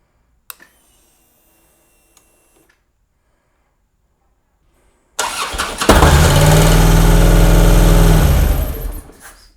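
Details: Harley Road King, roughly 2007–2009, sat over four years, after the injectors were cleaned, the throttle body reassembled and the tank refitted. It fires on the first try and settles into a steady, even low idle before shutting off. Normal start and idle after repair.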